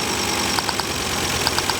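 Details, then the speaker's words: Mk2 Ford Focus ST five-cylinder at idle, misfiring with sharp evenly spaced ticks and uneven beat; unplugging coil packs one by one, misfire worsens with the first four, the coil pack whose removal changes nothing suspected faulty. "but it's misfiring as you can hear that's changing straight away"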